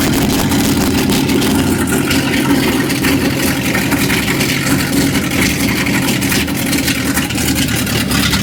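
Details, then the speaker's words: 1955 Chevrolet truck with straight manifolds, cranked after fuel was added: a long, strong, even starter churn with no catch, with 60 lb of oil pressure. Cranks but won't start; not picking up fuel, float suspected stuck but unconfirmed. "We ain't picking up no fuel yet, boy. Float might be stuck."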